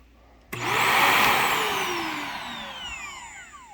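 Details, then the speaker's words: Shark NV355 vacuum after motor pod replacement, motor switched off: the whine slides down over about three seconds with odd warbling tones, though the unit works. Unusual motor wind-down noise, cause unknown. "goofy kind of a strange motor wind down sound but works huh but hey it works"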